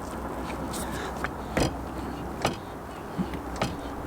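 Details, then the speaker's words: Caravan tow hitch after cleaning friction pads, cleaning tow ball and sanding pads with 300–400 grit paper: only a few dull knocks as it rocks on the ball, no squeak. "and as you can hear there's no squeak right so there we go a very easy job to do something you can actually do on site"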